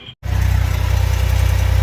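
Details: 2018 Lincoln Navigator / Ford Expedition with park brake fault C2008:13 and no cruise control, heavily mud-caked; fires up into a quick, evenly pulsing idle with a faint rapid tick; unidentified noise at idle, cause not yet pinned down.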